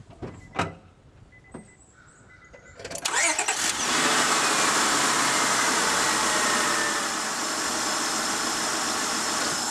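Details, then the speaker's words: Honda Odyssey with a random misfire after a bad coil pack was replaced with a good one: a few cranking clicks, then a fairly steady, even idle with only a faint unevenness; the owner still sees slight flicker and is unsure it is fully smooth. "all right replaced it with a good coil pack let's check it out"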